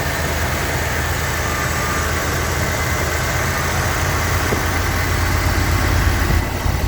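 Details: Lincoln Continental Mark-series (Mark V/VI) V8 at idle: steady, even low rumble with a fine buzzing edge, no knocks or misses; sounds healthy and solid, normal idle.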